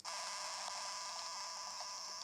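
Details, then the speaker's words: Foscam FI9821W IP camera: a steady hiss and crackle from its speaker whenever the live view is watched, gone when the settings page is opened. Support blamed the IR-cut sensor, but the owner disputes this; the cause is unconfirmed. "coming from a speaker every time someone's viewing it"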